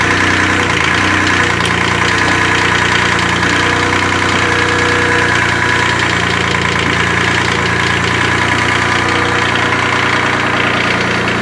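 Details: Kubota D600 diesel swapped into a Case 220 hydraulic-drive mower tractor (16.5 hp), running and driving, warm: steady, fast, even clatter with no misses or surges; normal idle.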